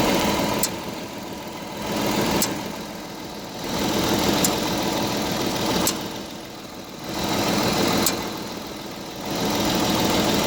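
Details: Audi A7 at idle while stationary: sharp knock about every two seconds over a slowly surging engine note, from the driver side wheel/suspension area only when stationary; cause unknown.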